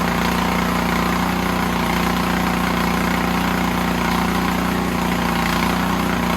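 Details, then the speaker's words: Snowblower engine whose rebuilt carb leaked, now fitted with an Amazon carb, runs only on choke; on the stand with throttle up and full choke, it surges rhythmically, hunting especially at low idle; pilot jet problem suspected. "But it definitely is hunting a little bit, especially in low idle. So I'm betting there's a problem with the pilot jet"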